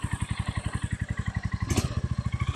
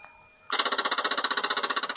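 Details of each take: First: Stolen, abused Royal Enfield Meteor 350 single-cylinder, first start, kickstand up: steady even thump at about 3.5 beats a second with a brief rev blip; healthy idle. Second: Stolen, abused Royal Enfield Meteor 350 of unknown mileage, first start attempt with the kickstand down and the fuel pump primed: rapid even clicking for about 1.5 seconds, no cranking; flat battery and loose battery cables leave the starter chattering.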